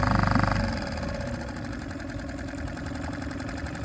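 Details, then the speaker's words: Suzuki 2.5 HP outboard after a choke-out start, with the choke then pushed in. After a brief louder burst it settles to a steady, even putter, and a small throttle turn raises rpm; normal idle. "idling very nicely we can give a small turn of the throttle hear the increase in rpms idling nicely sounds great"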